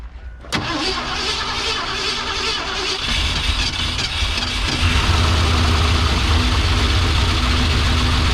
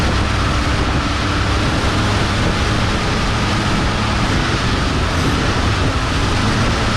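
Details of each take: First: Abandoned 1971 or 1972 Ford Mustang, left sitting for an unknown time at a wreckers, cranked after starting fluid was poured into the carburetor. The starter turns sluggishly at a few beats per second and never catches: slow cranking, no start. A booster pack is wanted next. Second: Abandoned 1971 or 1972 Ford Mustang, long sitting at a wrecker's, fired on fuel poured down the throat with a booster pack: steady, even V8 rumble at idle, no knocks or misses; running normally.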